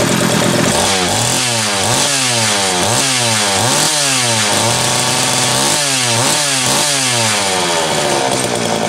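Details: Homelite 330 two-stroke chainsaw after intake boot replacement, the only fault found: blipped up and down repeatedly, crisp even firing, clean climb and drop each time; oiler starting to pump; healthy running.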